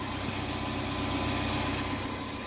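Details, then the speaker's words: 2015 BMW X5 F15 after replacing air suspension compressor and relay, engine idling: even low buzzing compressor hum, no knocks or rattles, suspension slowly rising; compressor running normally. "okay the air compressor is working this rail is slowly needed time to hear the compressor running"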